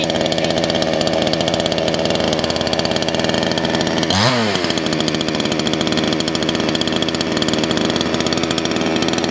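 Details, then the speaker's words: Salem Master chainsaw carburetor adjustment: the low-speed jet is leaned out too far, giving a fast, eager two-stroke idle with a brief rev blip that loses top end, and the chain creeps; idle needs adjusting. "if you noticed when i leaned it out a little too far it sounds like sun's getting really happy but actually it won't have as much top end and you notice the chain started to move"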